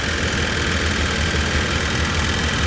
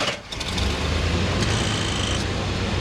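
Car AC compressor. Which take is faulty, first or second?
second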